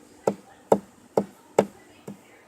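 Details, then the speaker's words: 2010 Chevy Impala clicking from blend door actuator behind glove box, part moving up and down making an even tapping, about twice a second; fault is the blend door actuator. "if you open your glove box you see this thing here just moving up and down making a tapping noise"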